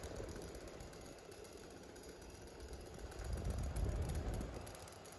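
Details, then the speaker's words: Fan that needs oiling: a dry, uneven knock about three times a second over a low hum at low speed; owner unsure whether it's just something loose, possibly a dry bearing. "I don't think that noise is just something loose, I don't know."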